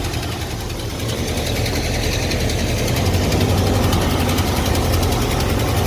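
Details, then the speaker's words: Early-1980s Ford F-150 V8 donor truck, warmed up, ignition timing at top dead center (normally 10 degrees) and being advanced: low, lumpy idle at about four pulses a second, stumbling now and then; rough idle. "almost like that thing is bottomed out we're like literally on top dead center one two degrees at this it still sucks"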